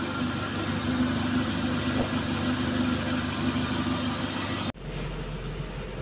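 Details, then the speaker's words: Suzuki Katana engine at idle, steady smooth low hum with no knocks, rattles or metal-on-metal ticking; stable vibration, radiator coolant not mixed with oil, temperature not rising: healthy normal idle. "suara mesinnya ini tidak ada suara suara aneh atau kayak besi ketemu besi yang tek tek tek dan lain-lain ya kalau halus ini jadi Insyaallah mesin kondisinya aman"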